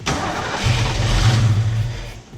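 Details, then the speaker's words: Ford Fox Body Mustang with newly installed GT40 tubular upper intake and 70mm throttle body, first start attempt: laboured cranking that barely catches and dies back without idling; hard start because ignition timing is incorrect and must be set. "All right, guys, so we got to set the timing. Timing's not right, so that's what we're working on right now."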